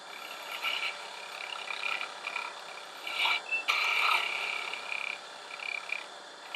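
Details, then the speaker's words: Woodturning lathe, turning a mushroom stem with the tool 1.5–2 in past the tool rest: high thin squeaks come and go over the cutting hiss, tool chatter showing it's at the limit of usable reach, so cuts won't be clean. "you can hear the squeaking that's telling me that I'm on the verge of where this tool is usable because I'm a good inch and a half 2 in out over the end of the T rest"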